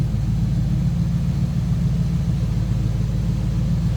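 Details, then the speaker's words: 1938 Ford Deluxe Convertible street rod idling with exhaust through the mufflers and the bypass closed; deep, even rumble with a steady beat and no knocks or misses, a smooth, quiet-sounding rod at normal idle. "So nothing crazy over the top of the exhaust unless you open up and bypass those mufflers. So it's nice, smooth sounding rod."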